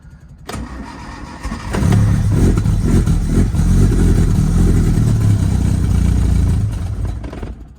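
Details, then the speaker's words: Lotus Elan restomod, cold start with carbs refitted after fixing a misaligned float pin, two pumps of throttle and no choke. Short crank, fires immediately, then flares into an uneven hunting rev because it is running very lean. "very lean all right there's my thing for the choke"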